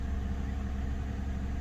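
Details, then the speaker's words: 2008 Lexus ES350 idling after swapping #4 and #6 coils and clearing codes: low, slightly uneven idle with faint shudder; cylinder 4 misfire (P0304) returns, later traced to rat-chewed #4 fuel injector connector, replaced. "i'm feeling a vibration that i was feeling before so i'm guessing it's gonna be the number four"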